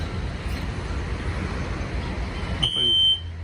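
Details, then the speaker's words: SpectrAlert fire alarm horn at the Kahler Grand Hotel during a sprinkler alarm test: road noise, then a shrill steady single-pitch blast of about 11 seconds, heard outside and then from one going off inside; cause not confirmed. "I thought, that sounds like a SpectrAlert. Wait, is someone in here? Yeah, there's one in here going off too."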